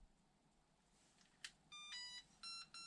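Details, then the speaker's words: HOSIM 1/16 RC car, fresh out of the box: a click then three bursts of high electronic tones and beeps as the remote binds to the car. Normal binding signal. "The remote lights up, makes all kinds of like tones, beeps."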